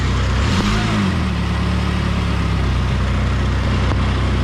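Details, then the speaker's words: 2002 Saab 9-3 convertible put hard into reverse with throttle: engine revs up sharply then settles to a steady drone with no clunk. Transmission slipping in reverse is suspected, cause unconfirmed. "all right so she's going to duplicate what i was just experiencing on the reverse put it in reverse hard give it some gas"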